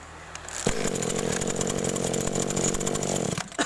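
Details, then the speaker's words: Small two-stroke agricultural sprayer engine (hard starting when cold) at idle with ignition coil recently replaced: catches, runs ragged and uneven about three seconds, then stalls; rpm possibly too low. "mati ya ini posisi langsam kita coba gas mungkin rpm nya kurang besar sudah mulai rewel ya"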